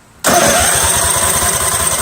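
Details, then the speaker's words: Craftsman GT6000 garden tractor after 4-post to 3-post starter solenoid conversion, choke seized: strong starter spins engine fast and evenly, about seven or eight pulses a second, but it never catches; suspected water in carburetor, unconfirmed. "the choke is seized so i can't even choke this see what i mean folks see you see all right here we go all right now it doesn't start very strong starter though"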